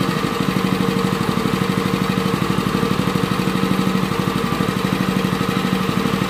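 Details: Honda WL30XN 3-inch water pump engine after one year of use with its engine oil never changed: a steady single-cylinder beat, an even hum with no knocks or rattles. It still sounds smooth and suction is good, so normal running.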